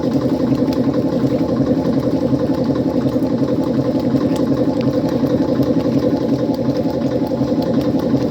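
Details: 1955 Frigidaire Unimatic washer on a small load of whites, timer manually advanced for less water, pumping out dirty water; an even, steady motor drone with a soft regular pulse of about three per second and no knocks: the pump running normally.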